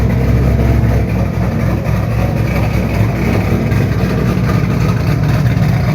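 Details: 2007 Shelby GT500 supercharged V8 with newly installed L&M NSR camshafts, Venomous Tuning tune: deep, choppy, uneven lopey rumble at idle with short throttle blips. Normal cammed idle.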